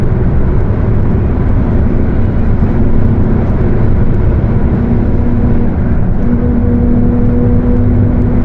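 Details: Mercedes-Benz OF 1721 bus, Torino S body (Viação Estrela 100.141), while driving: deep roar with a steady low whining hum that comes in under load in the last seconds; the differential is roaring.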